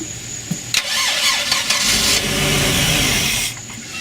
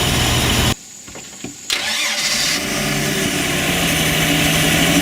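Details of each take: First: MerCruiser 4.3 V6 boat engine on a new block, with a new fuel pump, a suspect rebuilt carburetor and possible water in the fuel: the starter spins unevenly, and it catches briefly on syringe-primed fuel then dies; the pump delivers, but the carburetor passes no fuel, even to the idle jets. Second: Mercruiser 4.3 V6 boat engine with new block, rebuilt carburetor and new fuel pump, possible water in the fuel; brief cranking, then catches and settles into a steady, even idle with no misses or knocks; normal idle.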